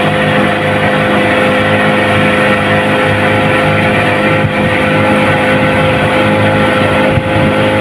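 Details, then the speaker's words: Yamaha 15 hp outboard before repair, hard to start, held at full throttle: a steady, strained drone that never builds. Caused by a weak ignition coil and a clogged carburetor. Loss of power at full throttle. "itu dia mesinnya seperti itu kerusakannya susah hidup kemudian digas tadi seperti ini sama sekali hilang tenaganya"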